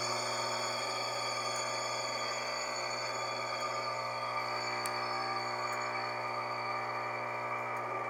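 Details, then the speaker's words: Belt-driven motor: steady hum with a dense, ringing high-pitched whir from a worn bearing; the noise is lower without load and increases as load on the belt increases. "então esse barulho é sentem está com a correia tem sem peso quando aumenta o peso então aumento barulho"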